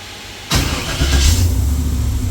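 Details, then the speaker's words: Freshly rebuilt LS V8 in a Jeep (forged internals, higher compression, new Comp cam), first fire, 50 psi oil pressure, coming off cold start: lumpy uneven idle; not yet tuned for the cam. "It's not tuned yet for this cam."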